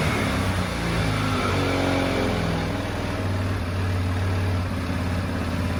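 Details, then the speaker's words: 2015 Tao Motors Snow Leopard 200cc snowmobile, first start after sitting seven years with oil checked full: runs steadily with a few light revs, no misfires or knocks. Normal running. "this is really cool all right okay so it starts"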